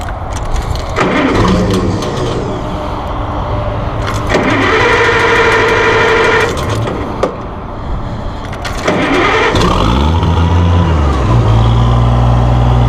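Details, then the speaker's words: 1966 Oliver 1650 gas row crop tractor, 6,658 original hours, started on choke: brief cranking catches quickly, then settles into an even, steady idle with no knocks or misses; it sounds good. "Sucker sounds good."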